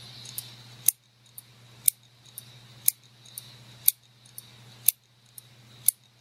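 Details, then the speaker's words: Dell Inspiron 15R laptop that won't boot, Western Digital hard drive failed per built-in diagnostics and BIOS: sharp evenly spaced clicks about once a second over a faint whir, hard drive death rattle; failing drive, replaced with 500GB. "that ticking that I was talking about when the first was looking at the machine the sort of hard drive deathrattle if you will"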